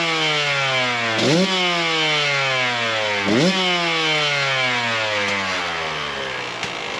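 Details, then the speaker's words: 2017 KTM 150 XCW two-stroke just fitted with an SC2 Smart Carb, new spark plug and clean air filter, first start with choke on, not yet warmed up: revs blipped twice, dropping to a soft slow burble; idle a touch low. "So sounds like the idle's a touch low, but I'll get it warmed up and I'll take it for a run, maybe go get some lunch and just give you guys my initial impressions."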